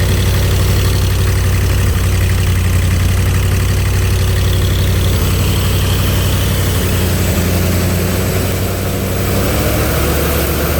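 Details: Ford 302 engine driving an air compressor, after a tune-up (new plugs, plug wires, cap and rotor): deep, steady low chug with an even beat and no misfires. Runs and sounds better since the tune-up. Normal running.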